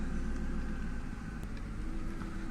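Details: Ford Mustang, about 2000, 4.6 engine, after fixing a strange hum at the air filter duct and refitting the valve; steady even idle, smooth low rumble, no hum or whistle; healthy.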